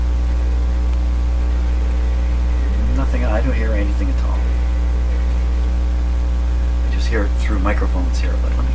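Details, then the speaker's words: Sony PS-T22 direct-drive turntable playing record: only steady low mains hum, no music; owner first suspects needle not contacting inside cartridge, found tonearm signal wires cut. "something's not right now it could be maybe this needle's not making any contact inside the cartridge"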